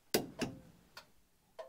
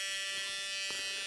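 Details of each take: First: 1980 Dodge W200 with Magnum 5.9L, restoration electrical testing: crisp ticks in steady on-off pairs about a hundred a minute over quiet background; turn signal flasher cycling normally. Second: 1980 Dodge W200 restoration with Magnum 5.9L, new aluminum radiator, first electrical power-up with ignition on: thin, steady high-pitched electrical buzz with no fan whoosh; the cooling fan does not run, and horn and auxiliary lights also fail.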